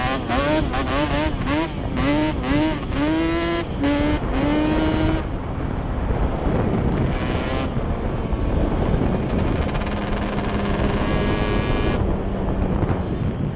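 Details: Yamaha Banshee two-stroke twin ATV after misfire chase (new plug caps, coil swap didn't cure it): carb needles moved back to middle position, crisp revs through repeated throttle blips, no stutter or break-up; miss gone, running normally.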